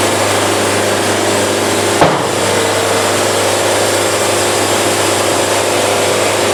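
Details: Bandsaw sawmill cutting fast to avoid band bounce and sawdust packing at slow feed: smooth even cutting rush, no rhythmic chatter, one brief bump; band mirror-smooth with zero buildup afterward, cutting cleanly.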